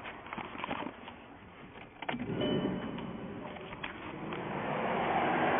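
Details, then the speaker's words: 2000 VW Golf Mk4, 2.0 AEG engine, AC not working, at key-on during a pressure sensor test. A steady rushing whoosh builds and holds as the radiator fans run, a possible symptom of a faulty AC pressure sensor. "and notice our fans came on there that might be a symptom of our problem"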